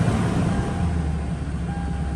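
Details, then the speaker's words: 2012 Toyota Tundra V8 just after new ignition coils and spark plugs, check-engine light still on: steady, even low-rumble idle with no skips or stumbles, not misfiring. "Um, maybe I'm going to have to erase the light cuz it's not misfiring or not."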